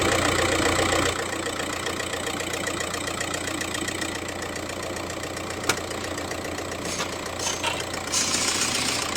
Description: In this video, I show an Audi 1.9 TDI with a clear engine ticking sound.